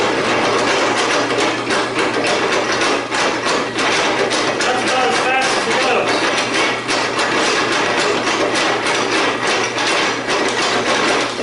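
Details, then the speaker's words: Homemade helve power hammer driven by a 1.5 hp electric motor through a post drill with flywheel, running on a temporary motor mount: sharp, even blows several a second over motor hum, speed judged both fast enough and slow enough; normal operation. "so I am satisfied that's going to be both fast enough and slow enough if that makes sense"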